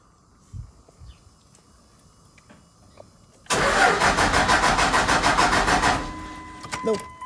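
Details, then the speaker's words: 1999 Dodge Ram with a weak cheap lift pump, wait-to-start light used: starter churns at a steady quick beat about two and a half seconds, engine never catches; cranks but won't start. "That lift pump just barely running. You can. It's not even close to being strong."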